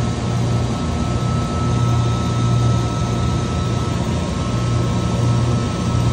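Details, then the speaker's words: Trane 500-ton centrifugal chiller, star contactor: steady low hum with a fixed high tone after the compressor starts; the contactor's magnet is buzzing and hot. "esto lo que tiene aquí este este lo que hac el Magneto con esta parte está sonando eh está caliente"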